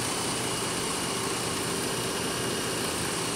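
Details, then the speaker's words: Third-generation Jeep Grand Cherokee, 146,000 miles: steady, even, quiet idle with smooth hum and no knocks or misses; runs well, though older exhaust components may have small leaks. "146,000 miles this one runs extremely well it's actually really quiet I think it's a nice sounding engine"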